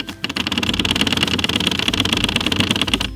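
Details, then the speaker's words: Glove box on an E36 BMW M3 track car rattles over bumps: fast dry plastic clattering over low road rumble, caused by the common E36 glove box sag (should sit flush) and the very stiff suspension. "well this car's suspension is insanely stiff and this fun little thing anytime you hit a bump that's what you get it's fantastic"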